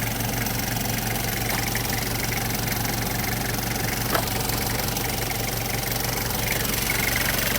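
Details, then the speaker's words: 1994 Toyota Hiace LH112 van, 2L diesel: steady even diesel clatter at idle, no misses or knocks; no blow-by, engine not worn, no white smoke; healthy idle. "เครื่องครับใครระบายไม่มีนะครับเครื่องไม่หลวมง่ายที่มีนะครับ"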